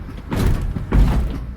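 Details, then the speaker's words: 2000 Toyota Sienna with high miles, driven over alley speed bumps: two heavy dull thumps about half a second apart from the rear; worn rear shock upper mount bushing knocking. "did you hear that oh that's noisy listen to it there oh yeah it's like stealing steel wow"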